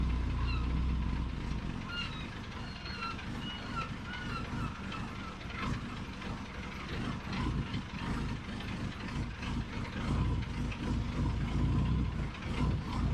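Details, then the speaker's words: 1990 Mini ERA Turbo (262,000 miles) driven on a gravel track in first, second and third after the 30-year-old new-old-stock carb was replaced: pulls smoothly with an even drone over gravel crunch, no misfire or hesitation; the old carb was the problem. "yeah so that drove in first second and third so um the car was the issue to begin with"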